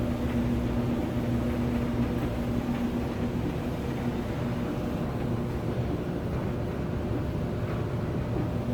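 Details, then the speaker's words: Samsung DV203 dryer, about seven to eight years old, after heating repair, lid off on test run: drum turns with steady low hum and rumble, no knocks, scrapes or squeals; normal running. "all right at least it works let's give it a shot there's your dryer"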